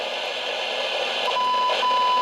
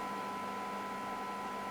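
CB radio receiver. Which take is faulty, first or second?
first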